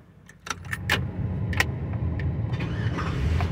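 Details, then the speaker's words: 2005 Chevy Avalanche 1500, 5.3 L, rigged with a switch after a no-crank fault; flooded by cranking before fuel pressure built. A few light clicks, then it fires and settles into a steady low idle; flooded engine catching. "I could do that a million times but see I didn't let it build up pressure so now oh now I don't flooded it"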